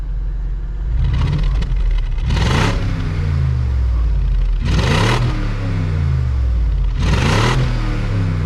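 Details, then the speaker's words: Car with stock exhaust and all cats still fitted, revved after a drive in which it felt much quicker: three quick blips from idle, deep and throaty, pitch rising and falling smoothly with no miss or rattle. Healthy engine revving. "It's obviously still got all the cats and full exhaust, stock exhaust. Sounds good. It sounds more like the Russell's Gambala. Yeah, it's deep, it's like throaty."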